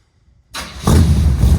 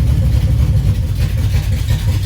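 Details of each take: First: 1976 Chevy C10 with a 400 small-block V8, first fire-up with both mufflers fitted on the new dual 3-inch exhaust: brief crank, then it catches into a deep, even, burbling rumble; clean, healthy V8 start. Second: 1976 Chevy C10 with a 400 small-block V8, performance cam and new dual 3-inch mandrel-bent exhaust: loud, deep, lumpy, choppy idle. Owner suspects the driver pumping the accelerator pump shot is partly flooding it; not confirmed.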